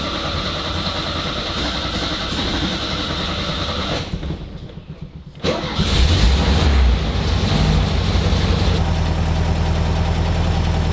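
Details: 1971 VW Beetle Karmann Ghia convertible after a carburettor clean, with a fuel shut-off valve fitted, the automatic choke wire on and a vacuum line blocked off. It cranks, catches after a pause and idles lumpy and uneven: still not running right, cause not yet found.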